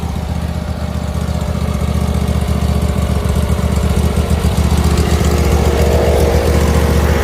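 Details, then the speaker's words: Old riding lawn mower with brand-new engine just installed, first start on a little choke: steady, even low chug, no knocks, misses or rattles; normal running. "crank it over a little bit just a little bit of Choke and there she is brand spanking new engine"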